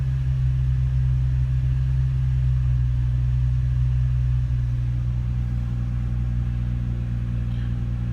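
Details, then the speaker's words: Nissan engine on a DIY-tuned ECU, idle previously raised to about 1000 rpm and running rough; after the changes are discarded and the idle target reset, the low rumble settles to a slower, deeper note as idle speed drops. "I just discarded the changes set this down back to zero you actually hear the engine already slowing down"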